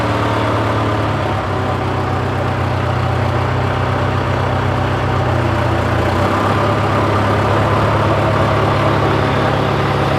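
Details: John Deere 410C backhoe diesel in winter cold, idling about ten minutes after start: a deep, even low throb with no knocks or misses; runs smoothly and healthy.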